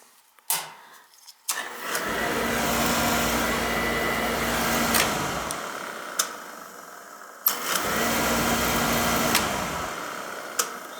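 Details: Beckett oil burner with lockout issues, after electrodes reset and cleaned: sharp ignition clicks, then a steady roar holding a few seconds and dropping out, twice; relights after reset but fires unevenly.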